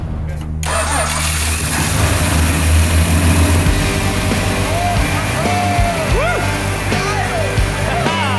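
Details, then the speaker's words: Rebuilt Australian roo-hunting ute after starting spray, once fuel was confirmed squirting: engine catches within a second and settles into an even, steady run with no misses or knocks; sounds good. "Victory! She's towing. It sounds good. That's fine. We'll work that out. We'll work that out. Sounds good though. Sounds great."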